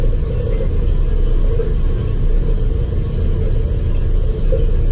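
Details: Crown hydronic boiler that wasn't answering a call for heat: after purging a lot of air from the system, it fires at high fire with a steady, even low roar and no pulsing, popping or rumble. Clean burner firing; an air scoop is still needed.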